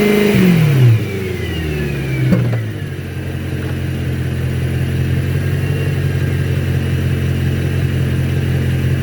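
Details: 2011 BMW E92 M3, 66k miles, unmodified, warm V8 at low rpm (1700–2500) with a light, quick tick; the transmission heat shield was touching the exhaust, and removing it stopped the noise.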